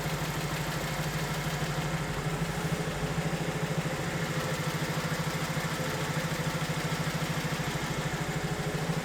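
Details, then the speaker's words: 2008 BMW 1 Series (E8x) with the 125 kW N43 petrol engine, warm and idling with an uneven shaking beat about three times a second. It's a steady stumble that should worsen as it heats further; misfire cause still unclear. "It's warm enough and it's running reasonably well at the moment, but as soon as we heat it up a little bit then it should actually get really bad"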